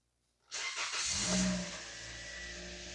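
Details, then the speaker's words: 2017 Toyota Corolla 1.8 started right after a spark plug replacement; starter catches within a second, brief flare of revs, then a steady even idle with no misfire: normal engine start. "So everything feels okay so far."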